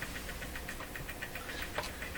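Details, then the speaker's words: Jewel Model 505 vacuum tube clock-radio powered on with the radio switched off: quiet steady ticking at about seven or eight beats a second over a faint hum as the clock motor chugs and runs. "certainly hear the motor going the clock clock has no second hand you can't see easily but if the mortar is chugging I'm moving back clock is operating"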